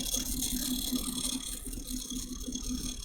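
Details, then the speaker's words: Custom water-cooled PC (i9-9900K, MSI MEG Z390 ACE, two RTX 2080 Ti, EK RGB fans) at first power-on: a rapid, uneven rattle over fan whoosh; one of the fans sounds like it is hitting something. "So it sounds like one of the fans is hitting something."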